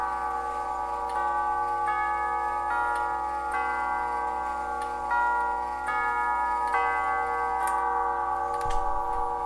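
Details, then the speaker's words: Grandfather clock tube chimes on bench test stand after refurbishing gong hammers with new leather pads (worn pads caused harsh chimes): clear, mellow Westminster quarter chime with long even decay, no sharp clang; normal. "Oh, wow. That that sounded sweet. They just they had that nice that nice tone that just makes them sound like they're kind of echoing. Uh nothing sharp about them this time at all."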